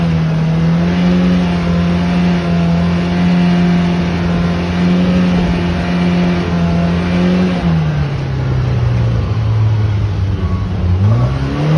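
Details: Loud steady engine drone with a strong low tone dipping and climbing with revs; abnormal noise, cause unclear.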